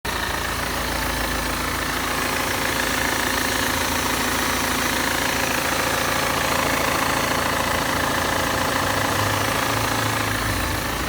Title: E46 320d 110 kw strange noise